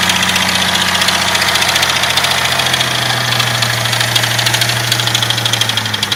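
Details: Jeep 4.0 engine idling cold: loose, uneven knock tapping over the engine hum about twice a second; engine knocking when cold, cause unknown.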